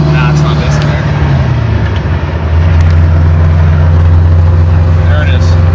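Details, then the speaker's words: 1966 Mustang V8 with a 670 Street Avenger carb running rich across the band; at a dead spot in throttle it starts missing and air-fuel rises to 17-18 on an LC-2 wideband; carb fault suspected, not confirmed. "it goes up to 18 while it's missing this is where it's missing"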